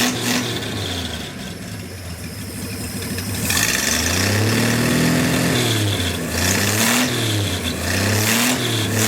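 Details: Six-cylinder engine on a stand, not yet boosted, 40 psi oil pressure, no coolant connected: picks up cleanly on each blip, falls back smoothly to idle, no knocks or misses; healthy.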